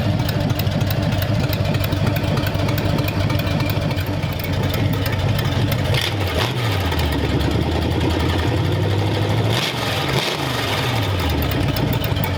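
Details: Freshly built hopped-up flathead V8 in a 1932 roadster, around 10–20 minutes into running with valve lash set and 70 lb oil pressure: deep, even burble at steady idle with two clean throttle blips; engine sounds healthy.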